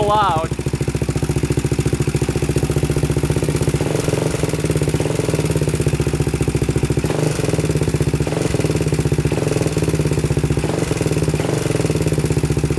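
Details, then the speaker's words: 2000 Honda 400EX with a cheap eBay piston and cylinder, first start: loud single-cylinder idle with a steady metallic rattle and tick in the top end on every firing stroke, almost cutting out; no smoke. Cam chain rattle. "oh you guys can hear that i don't know what you guys think sounds kind of kind of weird like there's a tick in the top end"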